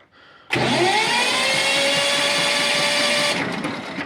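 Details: Walk-behind tractor (motoblock) with 2018 battery, previously reverse-polarity, replaced by a stronger 74Ah, which did not fix the weak cranking. Starter now spins up briskly with a rising whine, holding a steady fast crank about three seconds.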